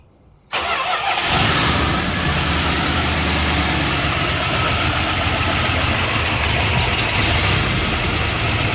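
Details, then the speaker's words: 1978 Chrysler Newport after fuel pump replacement, restarted and idling: light fast chatter over a steady idle, likely noisy lifter, possibly old thick oil; otherwise sounds good. "It sounds good other than that chatter."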